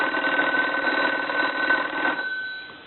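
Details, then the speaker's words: Vintage wooden wall decorative telephone rung with an analyzer: a harsh, buzzy ring of about two seconds that dies away. The bell doesn't sound proper and needs checking; the phone also reportedly won't dial out. "i'm gonna let it go one more time because it doesn't sound right"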